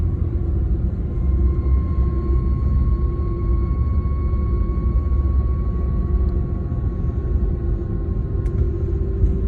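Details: BMW E36 with 220k miles, driving, heavy constant low rumble with a faint steady whine from a bad driveshaft center support bearing; replacing it removed the noise.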